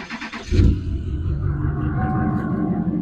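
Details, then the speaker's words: High-mileage (450,000-mile) Duramax diesel dually with straight-tuned, deleted, large exhaust: quick crank, catches at once and settles into a deep, even, loud idle, sounding good revved; normal diesel start and idle. "sounds really good, especially when I rev it up. It sounds really nice."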